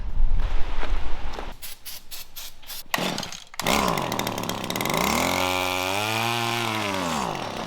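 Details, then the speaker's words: Stihl string trimmer found at the dump runs only on ether down the throat: after handling knocks it catches, revs up and sags within seconds. It has spark, so owner suspects an air leak (sucking air); a replacement carb is planned. "Can't believe it just started 2 poles. Well, that was ether right down the throat, but that means it's getting sparks, so that tells me the real problem with this was that it was sucking air."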